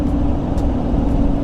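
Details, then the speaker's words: Rebuilt rolled 2018 GMC Sierra Z71 3500HD test drive after suspension work, heard in cab at road speed; steady droning hum. Owner believes it is tire road noise, not hub or bearing, as turning adds none; much quieter than before. "it does have a noise road noise a little but like i said it's not a critical this is the tires this is not a bearing"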